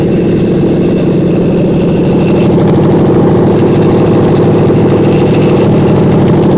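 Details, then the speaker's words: Contract Toyota Celsior UCF11 1UZ-FE V8 on a test stand, warmed to operating temperature (88°C) at 1300 rpm with oil pressure 2.8 kg: smooth, even idle with no smoke, ticks or knocks. "Двигатель заведен на стенде. Двигатель работает ровно, не дымит."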